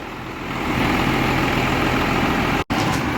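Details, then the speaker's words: 12-valve diesel hotshot truck idling in the shop after a smoky morning start; the truck leaks a lot of oil. Steady, even, regular clatter with no misses or knocks, called a perfect idle. "No, the idle's fucking perfect, dude. Look at that. That's perfect. No, that's like a perfect idle."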